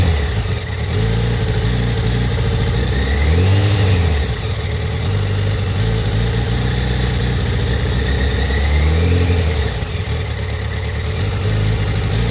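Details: Yamaha FZ1 with a lumpy, uneven warm idle; throttle blips stumble at low rpm. The problem happens only when warm; it went away after a week or two and came back about a month later. Coils checked cold were in spec; plugs are about 6000 km and 2 years old. Cause unclear.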